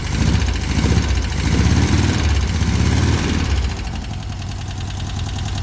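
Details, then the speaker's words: VW Beetle air-cooled flat-four at idle on old bad gas: a low, smooth burble that swells then settles, all four cylinders firing, no smoke or backfiring; owner suspects a rebuilt engine. "it runs great thing just purs that's got to be a rebuilt engine no smoke no fuss no backfiring all four cylinders are hitting"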